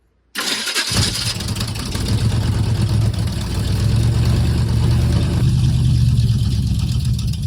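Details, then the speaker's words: Squarebody Chevy truck engine starts and sits at a fast, loud idle that never drops back because the throttle is stuck or sticking and the linkage has no return springs. "Yeah, throttle will be stuck or sticking. That's why it was idling so high, because it wasn't idling. It doesn't have the return springs on it either."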